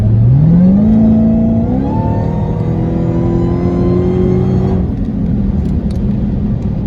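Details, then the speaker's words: Supercharged car with aftermarket intake, mid-muffler delete and 5-inch tips, after a downshift under load: a clear whine climbs in pitch with engine speed, then holds, with exhaust pops. This is normal supercharger whine. "Now the exhaust is kind of drowning out the wine. Let me see if I could downshift a little bit, see if I can get the wine in there, because the wine is like crazy."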